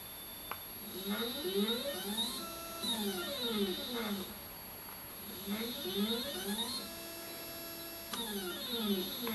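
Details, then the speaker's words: Skywatcher NEQ6 Pro mount after Rowan Astronomy belt mod and worm adjustment: motors whine in clean max-rate (9) slews on both axes, no grinding; RA axis previously worst, grinding now gone. "the grinding noise is gone and choose to be moving smoothly let's try the re-access yep this was the worst axis before all of the grinding noise is gone and everything's moving smoothly"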